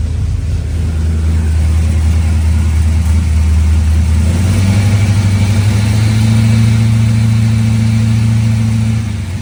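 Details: Monaco engine running after cleaning voltage regulator contacts and regulator/chassis grounds in a charging-system repair: steady low rumble rising smoothly with revs midway, no knocks or misses, and now charging; normal running.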